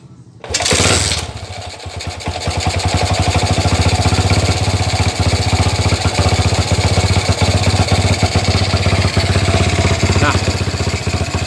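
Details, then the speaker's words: Jialing 85cc motorcycle (like C70/Astrea 800) running: a harsh, rapid knock of about four a second, mistaken for rod knock; loose front clutch-cover bolts, with one missing, and the noise stops when the clutch lever is pulled. "penting disini koplingnya itu longgar bunyinya seperti ini"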